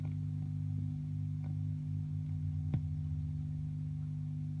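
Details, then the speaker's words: 1960s Strauss Emperor Australian guitar tube amp (EL34 output) after replacing electrolytic filter and bias caps, which cured redplating; on switching standby, steady hum with crackling and popping persists. "all of a sudden it is no longer red plating and I will - I'll show you by turning on the standby and here's where you can hear the crackling again"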